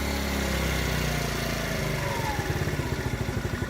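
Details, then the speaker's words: TaoTao 50cc scooter after a carburetor replacement. It runs smoothly, then turns lumpy with uneven pulsing and nearly stalls when off throttle; the bog comes back inconsistently and a little throttle recovers it. Cause unclear; valve clearance is being considered. "I'll still bogged down the like it's really really dim it may or may not cut out right now it's running but it's running very very you know it's about - it's about to cut out"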